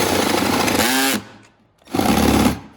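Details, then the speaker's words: Cordless drill on a low battery, drilling a hole through a battery box lid, gives two harsh rapid rattling bursts about a second each; it is set to hammer mode instead of drill, so the bit pounds rather than cutting cleanly. "It's not on drill, man. Good Lord. Sounds like the battery's low."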